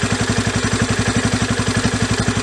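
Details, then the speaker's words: Yamaha Raptor 350 single after carburetor rebuild, idle screw started at 2 turns out and backed out about an extra turn: steady even thump, comes down to idle smoothly with no hiccups up or down; idle speed good. "Comes down to idle smoothly. Doesn't have any real hiccups either up or down. Idle speed seems good."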